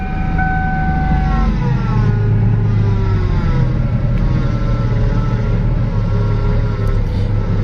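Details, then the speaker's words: Ford engine with the yellow power steering reservoir, idling. A steady high whine rides over the smooth idle and holds its pitch with engine speed; the owner says pumps on these Ford engines always whine. "another problem that I have with this engine not necessarily the engine it's the power steering pump I don't know why but any forward motor that has this yellow Reservoir the power steering pump is always whining"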